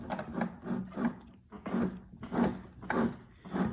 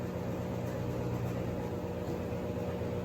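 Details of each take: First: Three-year-old Kenmore (Sears) washing machine, sealed bearing and drive shaft gearcase turned by hand: dry, scraping rub in bursts with each turn; at high spin speed it sounds like an aircraft taking off; worn gearcase bearing, replaced with a new unit. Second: Three-year-old Sears Kenmore top-load washer at maximum spin after replacing the gearbox/transmission, which appears to have been the cause of the earlier bearing-like noise; now a steady low hum and smooth even whir, no grinding.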